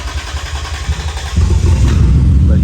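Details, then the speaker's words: 2003 Lexus IS300 with three injectors unplugged (they measured about 14–16 ohms) cranks, catches after about a second and a half, and settles into a low lumpy run; fuel-related starting fault, owner suspects injectors dumping fuel, unconfirmed. "those three injectors and it'll fire back up so um I don't know but I think I'm getting closer"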